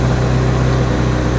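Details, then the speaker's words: Kawasaki Z900RS cold start: even but fast idle beginning near 1,750 rpm and climbing toward 2,500 rpm instead of settling; cold-start idle set too high, an emissions-related fueling quirk adjustable by a small knob under the tank. "so initially it's modulated about 1750 rpm but then the needle quickly starts to climb and pretty soon you're up near 2500 rpm on a cold start"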